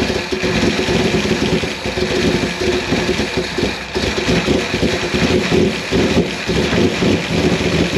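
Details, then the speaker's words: Fire-damaged 1955 Chevy Bel Air V8 first run, timing being set toward about 18 degrees initial: deep, slightly lumpy idle burble with no knocks or rattles; sounds healthy, should smooth out as it clears. "man this thing sounds healthy though it is ridiculous"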